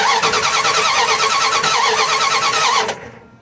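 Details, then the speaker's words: Dodge Ram 1500 5.2 L V8 that shut down while driving, now cranks at a steady ~3 beats/s without catching; confirmed no spark. "all right confirmed no spark at all as the video showed before"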